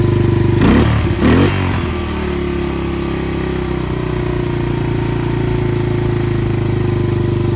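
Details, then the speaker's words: Yamaha 225DX Tri-Moto three-wheeler that hadn't run in a long time, in neutral: couple of throttle blips, then an even thumping single-cylinder idle with no clatter or valve tick at the head. Carburetor still needs tuning. Normal idle. "Sounds good too. The engine's not clattering. No valve tappage."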